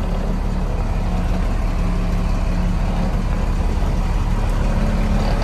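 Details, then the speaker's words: International dump truck diesel, sat about 15 years, just fired up: deep, steady rumble at idle with an even beat, no knocks or misses; 60 psi oil pressure, no charging voltage shown on gauge; normal idle. "i was not expecting to fire up that fast relatively uneventful and it sounds like it's running really good"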